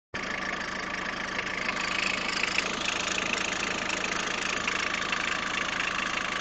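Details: Peugeot 106 1.5 diesel (11/2002), 130,000 km, timing belt done at 73,000 km: at idle a regular tapping of roughly three per second over a bright clatter; abnormal engine noise, source unknown.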